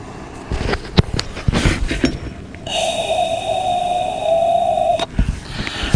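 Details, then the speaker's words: Porsche 997.2 Turbo blowing oil smoke after new turbo install: microphone right next to a check valve under slow suction gives a steady thin two-second whistle, valve leaking; owner suspects its plastic ball isn't perfectly round, seals only when pulled hard. "what happens is i want to suck on it and you're going to hear it leaking it should it should be completely uh it shouldn't allow me to pull anything out of there right"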